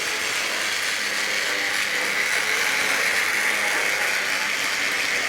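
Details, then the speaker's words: Tri-ang RS8 Midlander loco after swapping to a P5 full-wave controller, pulling coaches around the Super 4 track: even high buzzing whir with light gear chatter, still a little noisy but less harsh; normal running. "Still a little bit noisy. I mean, these old toy trains are noisy items, but definitely not quite so harsh now we're on this other controller."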